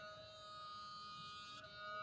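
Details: Toyota Prius that won't start, lights dead, owners hope it's the battery: thin steady high-pitched tone over quiet background from inside the car; electrical whine of unknown origin.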